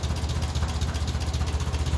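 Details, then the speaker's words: 1957 Ferguson 35 TVO tractor just after a cold start, warming up while the jets are adjusted: slow, lumpy, slightly uneven idle with a steady chuff. Running lean, so the mixture is turned in a quarter turn for more fuel. "somebody told me hand over an exhaust oh there's that an I'm lean expression bring it back in quarter of a turn as this engine warms up"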